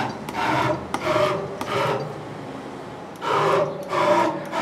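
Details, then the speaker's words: CNC mill conversion X axis driven by a NEMA 23 180W integrated servo on a 1605 ball screw, max velocity 8000, 640 steps per unit: rasping surges rising and falling with each fast axis move; noise is the ball screw, not the servo. "feel that noise so that's that's the noise you hear is actually the ball screw not the not the servo"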